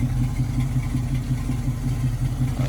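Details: 1968 Ford Mustang coupe, 302 V8 with mild cam, 3-speed manual: steady, even low burble with mild cam lope at idle, no knocks or ticks; sounds healthy.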